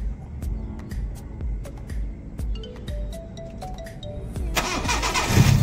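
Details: Honda Civic VTi that would not start and was backfiring, towed from a tollgate, during repair: several seconds of steady cranking, then the engine catches and picks up into a strong, even run; normal engine start.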